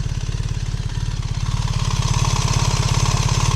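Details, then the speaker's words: 2025 BMW R1300RS Performance boxer twin at tickover during a test ride stop: deep, even low thumping that firms up as it's blipped, steady and clean throughout; healthy engine. "And that, folks, is what the R1300RS sounds like."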